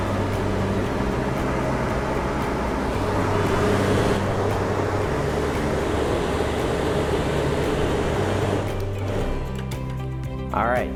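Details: Suburban RV furnace on the bench after blower motor replacement, powered at 12 V with the thermostat leads joined and no gas connected; the fan runs with an even airy whoosh, then spins down when power is cut. Normal blower operation.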